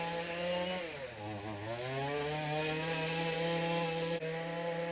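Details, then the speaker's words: Weed eater found in the trash, choke on because pushing the primer engages it: high, buzzy two-stroke drone that sags, then climbs back and holds too fast; low idle then dies when choke releases, owner suspects high and low needle jets need adjusting. "the choke was on it's an interesting model where you can push the primer it pushes the choke on so it rubs really high"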